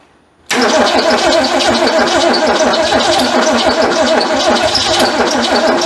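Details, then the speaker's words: Ford Fairmont sitting 35 years: starter churns steadily about three turns a second without catching; cranks but won't run, owner suspects it's flooded. "it just it don't want to run I don't know what's going on with"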